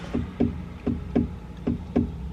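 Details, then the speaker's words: 2003 BMW 330i E46 power window, new motor and assembly, switch being replaced: six sharp clicks in uneven pairs with no motor whir; window went up but won't go down, owner suspects something electrical or simple, cause unconfirmed. "and nothing happens so it went up and now it doesn't go down"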